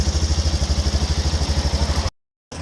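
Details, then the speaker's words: Italika 200 motorcycle (Zongshen RX1) on its stand after replacing the worn chain and the sprocket that had play, then adjusting the chain; old chain had about 12,000 km: steady engine pulse, smooth chain run, no slapping or clicking; normal chain drive running. "ya no hace ningún ruido extraño carnal y tos de paso pues se le cambió la cadena se le dio pues su ajuste y el piñón lógicamente se le cambio"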